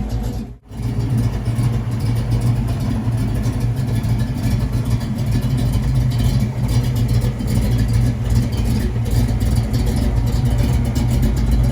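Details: 1979 Mustang Pace Car with a cam, after a long drive: deep, loping V8 burble that holds steady and swells on the throttle, no knocks or ticks; healthy cammed engine.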